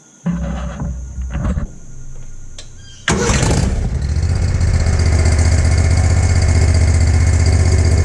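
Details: 2020 Spartan RZ48 mower with Kawasaki FR691V engine, after its first oil change: engine catches after a few tries then settles into a steady, even low-pitched idle, no knocks or misses; running healthy, no leaks.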